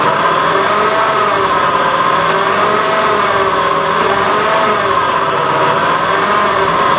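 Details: Honda Beat FI eSP eco scooter engine held at revs, wavering coarse buzz instead of a clean hum; rough engine noise, cause not identified.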